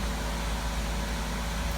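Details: 2012 Chevy Malibu idling during exhaust VVT solenoid bi-directional test, actuator stepped back down: smooth, even low hum with no ticking, misses or surging; normal idle, everything working.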